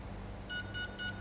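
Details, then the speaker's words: RC ESC programming on a 3-cell LiPo, throttle at high when battery plugged in: two confirmation beeps, then throttle pushed fully down and three short high beeps about half a second apart count the three cells. "it went across and gave two beeps it confirmed yes beep beep then push it all the way down then it went ahead and counted the number of cells here"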